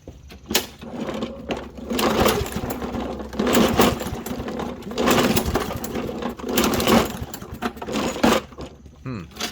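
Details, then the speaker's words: Toro Recycler push mower that runs on starting fluid but won't stay running: repeated recoil pulls about every 1.5 s, engine spins but never fires; no start, likely from a clogged carburetor jet. "guess not all right let's go ahead and get into it my friend says the mower will run on starting fluid but will not stay running by itself"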